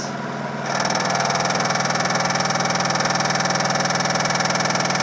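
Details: Samsung VTR steam washer on spin cycle with the rear cover off: the drum hums with an even thump about four times a second. The drum is banging because a rear plastic mount broke off.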